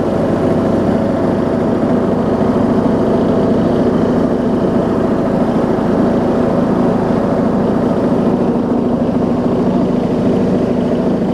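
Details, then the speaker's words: Rebuilt John Deere D110 mower engine, warm and throttled down after driving on the hydro: a smooth, even idle with a slight rumble and no knocks or misses, so the idle is normal. "throttle it down listen i mean it'll even idle even idles really well it's just funny it's just funny it's got a little rumble to it"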